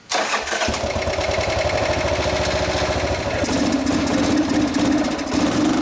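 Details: Harley being started after switching the split fuel tank to the reservoir side, carb plugged with a rag and throttle closed. Catches on the starter, runs rough at low idle, then falters and stalls. Fuel starvation is suspected.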